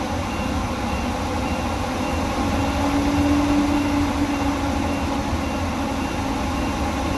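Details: Workhorse W22/W24 chassis 8.1 Vortec with radiator blocked off, engine at 225°F: steady loud whooshing roar over low engine rumble, no knocks or slipping, as fan clutch locks up late (expected near 205); normal engagement.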